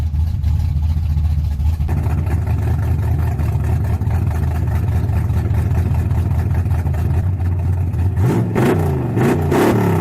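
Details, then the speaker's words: Worn 305 V8 in Chevy S10, carb refitted after sitting six weeks, cold start next day: rough loping idle with clattery rocker tapping and stumbling beat; owner suspects dead cylinder, engine worn out. "I already got a rocker tapping pretty bad and it's like his little dog got dead cylinder"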